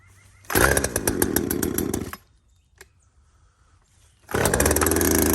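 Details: Poulan 2075C chainsaw, about 32cc with 16-inch bar, after carburetor adjuster mod, cold start at about 15°F: fires, revs crisply, drops off, then picks back up cleanly; runs fine.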